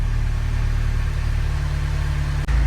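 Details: Mini Cooper N18 1.6L turbo, previously misfiring on cylinder two, after burnt valve replacement, first cold start idling: steady, even low idle hum with no misses, ticks or knocks; engine runs smoothly.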